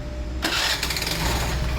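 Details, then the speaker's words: Hero/Honda scooter after repairing bent crankshaft causing self-starter noise: starter catches at once and settles into clean quiet idle without grinding or knocking; normal quiet start after repair. "यह देखा आपने कि गाड़ी बिल्कुल आवाज नहीं कर रही"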